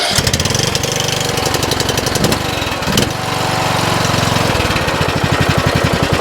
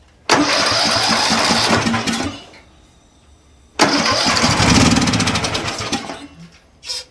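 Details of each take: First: 2007 Craftsman LTS 2000 riding mower after a swap to a used Briggs & Stratton Intek engine with a new HIPA carburetor, cold start, driving on hydro: steady single-cylinder chug, quiet transmission with no whine or grinding. Normal running. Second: Craftsman riding mower engine started on starter fluid, before the HIPA carb swap: catches in loud racing bursts that surge and fade, with no steady idle; overrevving because the governor and throttle were stuck.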